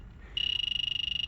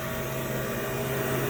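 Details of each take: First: Walk-in freezer low on refrigerant: a leak detector near the Schrader valve core goes from quiet to fast, even, high-pitched beeping, pinpointing a refrigerant leak at the valve core. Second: Walk-in freezer condensing unit in cold December weather after refrigerant was added for a leak: steady even compressor hum with smooth fan whir, no knocks or rattles, running normally.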